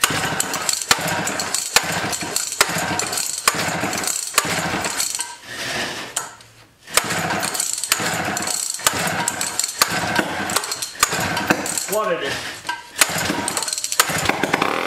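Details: 1959 Clinton chainsaw started with choke off and throttle held open: ragged firing bursts that stumble, drop out and catch again; sputtering and stalling, fuel starvation suspected, not confirmed.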